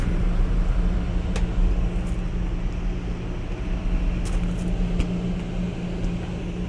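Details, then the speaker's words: Trane 3D Scroll compressor on a roughly five-year-old rooftop pool dehumidifier, heard from about 12 feet away: a heavy, loud low drone with steady hum and rough rumble, far louder than it should be; worn compressor suspected, not confirmed. "you got to hear this thing it sounds like it's about as loud as a Goodman unit a Goodman residential even though this is like three times as large capacity as your Goodman residential unit"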